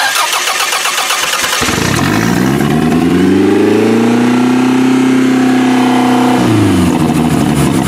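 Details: Used Toyota demolition-derby car, idle raised by refitting the throttle cable, starts, revs up and settles into an uneven, stumbling idle with occasional misses; it is misfiring, cause not yet found.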